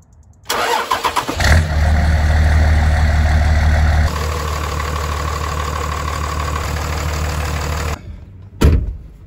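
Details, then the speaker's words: 2003 Dodge Ram 3500 Cummins 5.9L diesel after replacing serpentine belt and tensioner pulley: brief crank, quick start, steady deep idle with no belt squeal; normal start and idle after repair. "Well guys, we fixed our squeal. We replaced the belt and the tensioner pulley."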